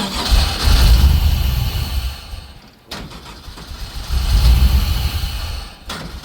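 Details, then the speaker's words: Abandoned LS1 V8 speedway car (VL), first start after sitting: fires and roars on starting-fluid spray, sags and nearly dies, picks up on another shot; not getting fuel on its own, fuel pumps needed. Fuel starvation. "Alright, well, she'll run when we get the fuel pumps and spend more fucking money, yeah?"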